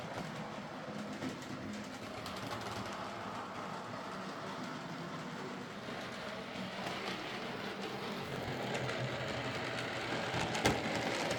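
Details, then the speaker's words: Hornby Sir Dinadan model locomotive after fitting a Peter's Spares replacement motor; smooth even motor whir with steady light wheel clicking, quieter and smoother than before, current draw cut by 50% or more from about 200 mA, normal running. "so there we are s dinadan running a lot quieter and smoother and with a 50% or more reduction in the current draw"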